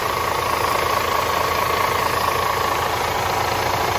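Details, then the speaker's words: DAF CF85 Euro 6 truck diesel on first start after fixing a top-end knock: worn inlet camshaft and rocker arms replaced, engine brake fitted, tappets adjusted. Steady idle clatter at about three beats a second, light air hiss over it; runs evenly and healthy. "Where is it? Just so you don't think we're bullshitting, it starts. It sounds alright. Pretty happy with that."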